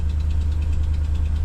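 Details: 2014 Ram 1500 Sport quad cab, 180k miles, cold start idle: low rumble with faint quick even ticking that goes away as it warms, exhaust manifold leak from broken-off manifold bolts.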